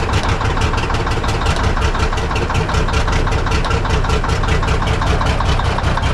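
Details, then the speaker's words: 1965 Kenworth W900 six-cylinder diesel, first start after years, at about half throttle: uneven, lumpy chug with missing beats, only two cylinders firing; suspected badly set injector rack with injectors too tight, rack to be checked. "it's only running on two solders that R right nope I'm so excited but I think what we're going to have to do is check that rack and see we we got some something that ain't right you know we got some injectors that are too tight or some thing"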